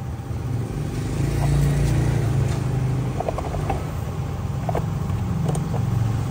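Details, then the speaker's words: Drum brake fitted with quality brake shoes adjusted very close to the drum: when released, the wheel spins with a low, even whir and only faint ticks, no rubbing or scraping, so there is no brake drag. "đ xả ra quay không Có bị dẻo bánh xe nè thấy không"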